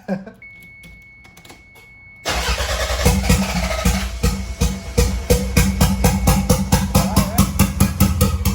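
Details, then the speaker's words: 1993 Toyota MR2 with a 3SGTE Gen5 engine build, first start attempt: the starter whirs about two seconds, then the engine catches into a steady, throaty pulse. It sounds healthy despite a check engine light and a little smoke, thought to be paint. "But we can just keep moving with this project and we know the engine works. And it sounds healthy, really healthy."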